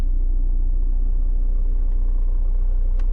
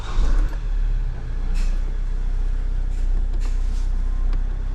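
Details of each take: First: 2013 Vauxhall Mokka 1.7 diesel at idle with the clutch pedal pressed; faint rhythmic chatter from a failing dual mass flywheel, and the whole vehicle vibrates when revved. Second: 2013 Vauxhall Mokka 1.7 diesel after clutch and dual mass flywheel replacement that cured a whole-vehicle vibration: steady, even low idle rumble with no shudder or knocking.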